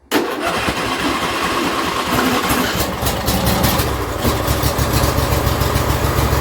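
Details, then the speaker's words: John Deere L120 lawn tractor small engine won't start on choke, only catches with a splash of fuel in the intake and runs rough; carburetor not feeding fuel. "So that's with the choke on. I can put my hand over it and everything. Still doesn't want to start. But as soon as I take just a little bit of gas, just a little splash, it'll fire right up."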